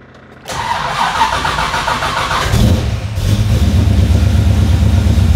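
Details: Car with FiTech EFI throttle body after fixing the rpm-signal wiring fault: about two seconds of cranking, then it catches cleanly and settles into an even run; healthy quick start.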